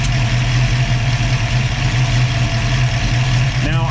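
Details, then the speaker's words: Ford 302 V8 with Autolite 4100 carburetor idling at about 600 rpm with A/C on: the idle-up solenoid kicks in, giving a steady, even low rumble with no stumble or dip; normal idle under A/C load. "I'll plug in the wire and you can see it kick up and the idle remains virtually unchanged."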